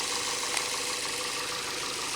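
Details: Engine idling right after an oil change and oil filter fitted, no leaks seen at filter: quiet, even idle with light steady hiss, no knocks or misses; normal healthy idle.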